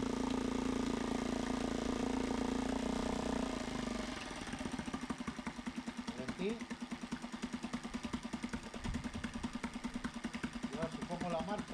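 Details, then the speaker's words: Mariner 3.5 HP four-stroke outboard after routine service, in a water bucket test stand, shifted into gear with propeller spinning: steady even putter after a brief louder spell, no misses or knocks, runs fine in gear. "Poso la marxa. També funciona amb la marxa. Ara l'hèlix està girant."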